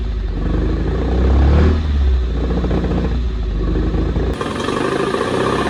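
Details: 1974 Alfa Romeo GTV 2000, built 2.0L with dual Dellorto carbs, long sitting, first start on fresh fuel: loud uneven note surging and sagging with throttle, never settling; owner suspects carbs full of junk.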